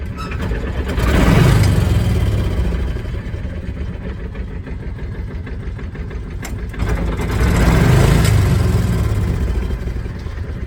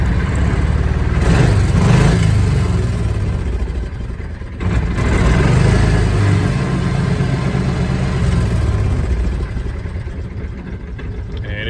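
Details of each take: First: Kawasaki Mule 2510 petrol engine after fixing a throttle sticking just above idle, running on a separate boat tank; idles, revs twice, slight hesitation when cold, throttle returns cleanly to idle, problem solved. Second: Kawasaki Mule 2510 after fixing weak throttle return spring that let throttle stick above idle; slight hesitation when cold: revs up then drops cleanly back to steady, even idle with no hang; problem solved.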